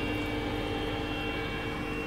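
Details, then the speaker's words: Trianco Aztec electric boiler with unvented cylinder, after wiring conversion for no-hot-water fault, on hot water only: click and pump running with steady even hum, no grinding or rattle; unit activated, normal pump running. "and hopefully should it start up again there's a click pumps running units now activated"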